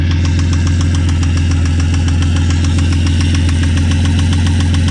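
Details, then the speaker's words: Ford XR6 Barra inline-six, manual, idling after adding thick oil and oil stabilizer; loud, heavy knocking at three to four beats a second over a rough idle; rod knock persists, with brass found in the oil. "no all right so the oil stabilizer didn't work we put oil in the engine and it's still knocking its head off"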